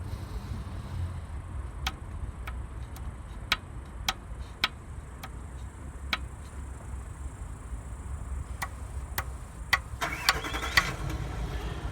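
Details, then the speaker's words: VW Polo 1.4 hatchback (9N3), 138–140 thousand km, head removed, engine turned slowly: sharp dry clicks about every half second; owner suspects short piston skirts knocking on cylinder walls, hydraulic lifters already replaced without fix. "Вот так вот они стучат юбкой, ну, облог цилиндров."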